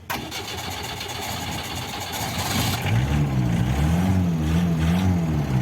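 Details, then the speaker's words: Fiat Premier Padmini under restoration, warmed earlier, started from the passenger seat: a short crank, then it catches at once and settles into a steady, even idle with no exhaust smoke at all; clean start, oil change and service still due. "വണ്ടി സ്റ്റാർട്ടായിട്ടുണ്ട്. നമുക്ക് പുറകിൽ എങ്ങനെ അവസ്ഥ നോക്കാം. ഒരു ശകലം പോലും പുകയില്ല കേട്ടോ, പുക ഒരു ശകലം പോലും ഇല്ല."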